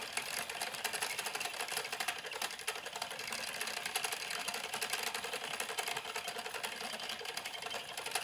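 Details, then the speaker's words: Louet S45 spinning wheel while treadling: a fast, even clatter of light ticks; the owner suspects the flyer is not secured and a small screw has come undone, cause not confirmed. "because i think the sound is coming from the flyer not being secured so if i tighten that little screw up again"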